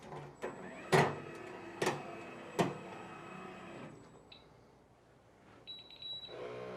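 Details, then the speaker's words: Freejet Plus printer switched on at morning startup: three firm clunks a second apart as the carriage homes into position, a pause, then a soft steady pump whir of ink circulation; normal, healthy startup. "So once that's all done, you can turn it on with the switch on the back, and it's going to home back into position."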